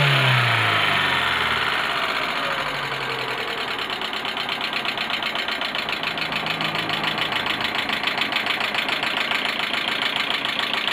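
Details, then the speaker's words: Warm idle after head gasket replacement, air filter not yet fitted: fast, even light ticking about three or four per second from the valve train, absent when cold; owner suspects valve clearance or too much oil preventing tensioner/lifters compressing. "Głośno chodzi, bo tu filtra powietrza nie ma jeszcze, to dlatego tak głupi, ale cykanie to już jest, kurde, no dalej jest to samo, no."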